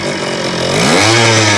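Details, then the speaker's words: 1975 Kawasaki KE125 two-stroke, formerly seized, carb rebuilt; runs after added fuel but is not pulling. Raspy buzz climbs unevenly in pitch when revved, rough and strained. Owner says the carburetor idle circuit is busted. "Yes. It's not pulling. It's the idle circuit on that carb is busted."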